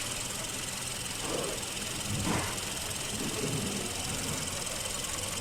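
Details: Hyundai Avante GDI petrol engine with code P0301, cylinder 1 misfire: idles with a hissy ticking and uneven beat, occasional stumbles breaking the rhythm.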